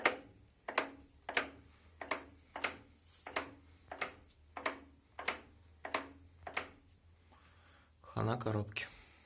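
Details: 2008 Renault Megane 2, 1.6, with a DP0 automatic gearbox, front end raised. Turning the front wheel by hand gives a dull clunk roughly every two-thirds of a second from the gearbox. The owner reports a knock when pulling away and braking, after suspension checks and bushing replacement found nothing.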